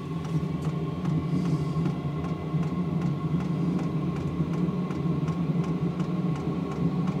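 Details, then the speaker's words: Chinese diesel air heater, 5–8 kW, in a greenhouse after air was purged from the fuel line: a steady low jet-like roar with an even rushing blow and faint regular pump ticking, blowing warm air; normal running. "Oh, it's blowing warm air now. That sounds like a jet engine."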